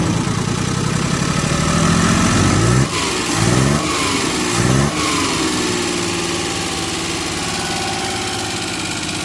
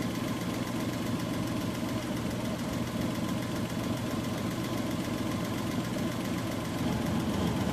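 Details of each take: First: Suzuki F6A petrol engine runs rough and uneven, misfiring with no stable idle, stumbling with sharp backfire pops, and hard to start. Cause is valves with no clearance, found under the valve cover. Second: Suzuki F6A engine after repair of misfiring, backfiring and hard starting: idles with a steady, even low pulse, no misses or knocking.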